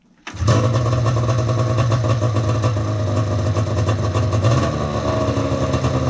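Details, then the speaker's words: XC 700 build with a 97 motor, first start outdoors after engine install with the cylinders primed and the tank not yet mounted. It fires after a brief crank and settles into a crisp, even two-stroke rev with no misses or knocks; it runs and sounds good. "Working on the seat and tank setup, but she freaking runs. Oh, it sounds good too."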